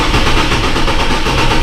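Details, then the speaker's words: Chevrolet Trailblazer, 185,000 miles: uneven, loping idle and cranking from one cylinder misfiring on low compression; engine may need replacing. "Yeah, 110%. You can hear that clear as day when you crank it over there. That one cylinder is low on compression."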